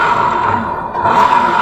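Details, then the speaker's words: Honda Beat FI V2 scooter test-ridden after the worn crankcase bearing was replaced: steady, smooth engine drone with no rumble, growl or knock; bottom end normal, the earlier noise is gone. "Yun, iti-test drive naman natin. Yan, tingnan niya mga paps, wala siyang tunog."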